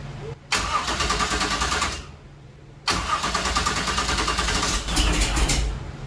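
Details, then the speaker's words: 1966 Chevy Nova wagon with a supposedly rebuilt 327 small block: two long cranking bursts with a steady starter rhythm, but the engine never fires. Battery reads 9 V cranking and 12 V at key-on, and the owner wonders if that is enough. No fuel is reaching the carburetor. "still no fuel in there"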